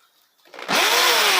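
Motor spins up fast into a steady high whine that holds even with no rattle or grinding; drill sounds healthy.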